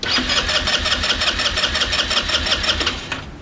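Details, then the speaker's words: Chinese scooter sitting for 9 years, cranked after adding fuel, brake held; fast, even starter whir with steady compression beats about three per second, almost catches but doesn't fire yet. "keep going go ahead she sounds like she's almost ready there she goes nope"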